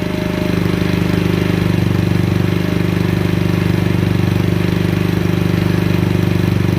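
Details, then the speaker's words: GY6 50cc scooter after carburetor swap, enrichment valve still on: quick even putter at one steady speed, no hunting, misses or knocks; idle slightly high before adjustment; normal idle. "it's actually a fairly good idle however it's just a little bit high so we're going to take it out and back it out a little bit"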